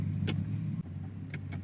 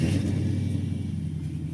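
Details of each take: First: Infiniti Q45 backing slowly in reverse after an axle clunk and click repair: a quiet low engine hum with only a few faint ticks and no clunks. The driveline is now silent and healthy. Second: Infiniti Q45 on test drive after axle repair for clunking and clicking axles: engine runs steadily, then dull thud and sharp clicks when shifted into drive; clunk source unconfirmed, seemed fine after further shifts.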